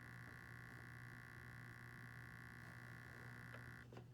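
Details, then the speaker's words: Hornby Tornado Express model locomotive, not yet run in and repaired after arriving damaged, at about a third of throttle: a low steady hum with a thin high whine; the motor growls, cause unclear. "oh sounds like it's growling why is it all right i am that's about a third of the throttle now fourth"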